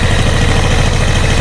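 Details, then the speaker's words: Yamaha Jupiter after head reassembly, loose valve clearances found earlier: steady, fast, even single-cylinder putter, no ticks, knocks or clatter; engine very smooth, oil flowing abundantly, only the idle setting is off so it won't hold idle. "Mesin sangat-sangat halus, nggak kasar kemeletek atau apa, nggak."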